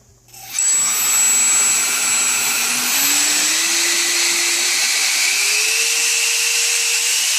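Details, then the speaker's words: ChangeSun 50mm EDF with Mantis 45A ESC bench-tested before fitting in a mini Raptor, throttle raised slowly: very loud high rushing whine rising in steps, smooth and steady with no rattles or cutouts; fan good to go. "That's the Chain Sun EDF sound. That means the Chain Sun EDF is good to go. It is ready to go."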